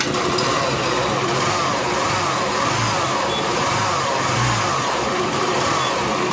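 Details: Honda Unicorn engine idling with a steady coarse, gritty internal roughness, suspected bearing; mechanic says head, bore and gearbox must be separated to identify it properly.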